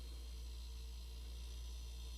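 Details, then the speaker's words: 28-year-old freezer after replacing the suspected faulty part (previously only clicking, not running): steady even low hum, no clicking or cutting out; compressor running normally after repair. "So I plugged it in, and as you can hear, it is running. So thank God."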